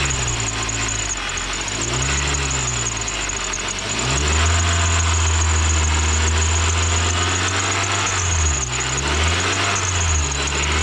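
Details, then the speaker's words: Serpentine belt squeak: thin high intermittent squeak over engine revs, worse on cold start for the first 30 seconds to a minute and around 2,000–3,000 RPM or when AC compressor kicks in, sometimes none at idle; dry belt slipping, fixed with dielectric grease. "You just heard what it was doing whenever you rev it up and you get that intermittent squeak. Sometimes it doesn't squeak at idle."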